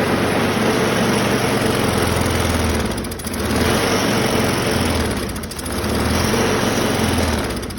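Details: 2009 Craftsman self-propelled 22-inch mower (model 917.376401), Briggs 6.75 engine, was leaking gas and wouldn't start, no air filter, started on carb spray before carb rebuild: loud ragged roar sagging twice, starving for fuel through a fouled carburettor.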